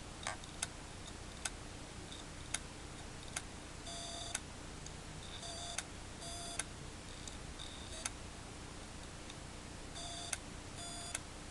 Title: Toshiba HDD clicking noise